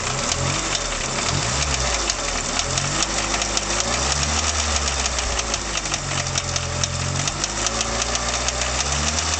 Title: Engine knock from Mk2 Golf 1.3 Carb